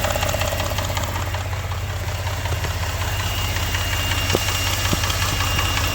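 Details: Engine at idle, loud and steady, with a sharp tapping knock repeating about two to three times a second over the drone; knocking present, cause unknown.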